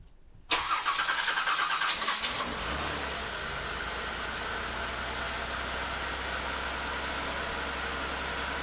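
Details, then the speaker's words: 1989 Buick Reatta, long sat, after a battery cable repair, ground fixes and a new ignition control module: about two seconds of quick rhythmic cranking, then it catches and settles into a steady idle that sounds way smoother than before; normal cranking and start. "that sounds way smoother than usual yeah it sounds better now it just has to figure out how to idle down"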